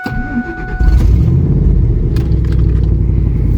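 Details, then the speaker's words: Ford F250 bought cheaply, first start after a fuel pump replacement on a chilly day: the engine catches and settles into a loud, rough, puffing rumble at idle. That raw chuffing marks a huge exhaust leak. "huge exhaust leak but"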